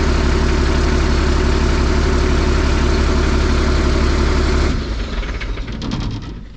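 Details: Diesel on a hay squeeze idling steadily with a smooth, regular beat after a slow start, then the note drops away near the end; 60 psi oil pressure, pedal code 551 cleared, ECM power suspected of dropping while cranking. A healthy runner.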